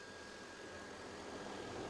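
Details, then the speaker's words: 2007 Volvo S80 with the transversely mounted 4.4 L V8 (B8444S), bonnet open, at idle after a blip. A steady, thin, annoying high-pitched whine holds over the smooth idle; its source is not identified. "can you hear that weird noise that very annoying high-pitched noise"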